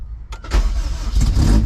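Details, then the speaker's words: Rebuilt junkyard K24A2 in a CRX, started after a temporary throttle cable was rigged to the throttle body. A few cranking turns, then it catches cleanly and revs crisply with throttle into a strong, even run; a normal start. "okay okay gave it some throttle it actually sounded pretty damn good wow it fired right over dude"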